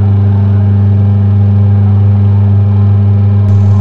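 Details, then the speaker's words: Twin-tub washing machine, 14 kg capacity, whose wash side runs rough and weak (gearbox suspected): the spin dryer motor gives a loud, even low hum at constant pitch with no rattle or scrape; the dryer side is fine. "pengering berputar dengan baik jadi nggak ada masalah di pengeringnya"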